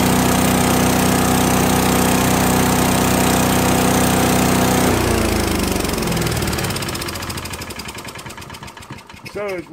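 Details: Craftsman chipper vac with 5 hp small single-cylinder engine; holds a steady, even drone while vacuuming leaves, then winds down and coasts to a stop; runs healthy.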